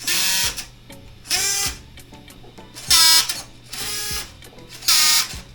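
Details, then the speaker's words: Team Associated Rival MT10 RC truck, harsh high-pitched strained buzzing bursts about a second long each time it steers; steering servo worn out. "didn't realize that the servo was shot on this. So, if you guys want to hear it, this is what it actually sounds like."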